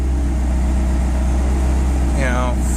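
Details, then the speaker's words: Honda non-VTEC B20 on Huntertuned decapped E85 injectors (about 1000cc), throttle stop screw backed down to near stall after 16 degrees timing proved wrong: low, steady idle hum, even firing, no hunting or stumbles; idling smoothly. "so I back to screw down until the car was about to completely stall out and give me just a little smidge on it which is perfect I can't complain about that and she's idling perfect"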